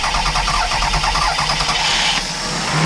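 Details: 2002 Toyota Sienna 3.0L V6 at about 311,000 miles, after the fuel pump and some blown fuses were replaced for a crank-no-start: the engine catches and runs straight up to a steady idle without stumbling, a clean healthy start.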